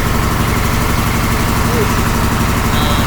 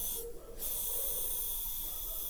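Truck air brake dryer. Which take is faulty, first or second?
second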